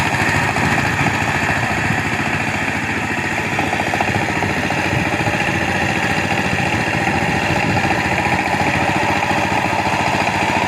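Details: Power tiller single-cylinder diesel just started after fitting a new injector nozzle, spring and pin to cure a "tes tes" noise and no load pickup: even, steady chug, no knocks, misses or hunting; normal idle after repair.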